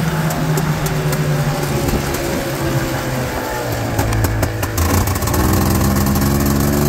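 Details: 1989 Honda Pilot FL400R two-stroke after engine rebuild (suspected bad crank bearings, chewed piston) and airbox lid swap: crisp buzz revving cleanly and settling without misses or knocks; runs good, normal running.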